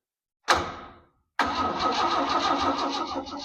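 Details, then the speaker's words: 1970 GMC 1-ton truck being converted to 4x4 K3500, first power to the cab, no fuel connected: a clunk, pause, then sluggish starter churn with soft uneven chug and no firing; slow cranking, battery suspected low after sitting on a shelf for months. "All right. That battery kind of sounds like it needs a charge. It's been sitting on the shelf for a couple months now."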